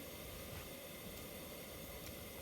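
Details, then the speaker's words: Central heating gas burner lit and running again after a fault of the burner not igniting, cause either electrical or the solenoid valve gas supply; soft steady rushing hiss, no popping or dropouts, stable flame. "so now Wow you can hear or you can see the Varner is walking up see so that's the way you fix it by the burner stop walking so either electrical or the solenoid valve gas supply so there is it it's working now so"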